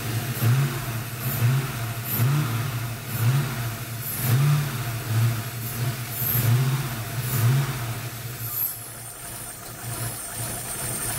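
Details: Ford 302 V8 with a rough idle after the upper intake was removed and refitted to replace the valve covers. It ran fine before. Idle lopes and stumbles about once a second with uneven revs; cause unknown.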